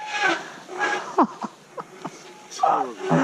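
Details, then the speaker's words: Bicycle disc brakes giving loud honking, cow-like groans in bursts with sliding pitch under braking on a wet ride; disc brake howl, pads suspected overdue for replacement. "That is the grimmest noise."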